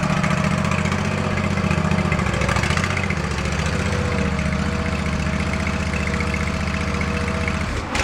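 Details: Swisher ZT2250 zero-turn mower, testing a new PTO switch: engine runs steady for several seconds, then dies abruptly once the deck is engaged. Maybe not the switch after all; a seat or control-arm safety switch issue is suspected.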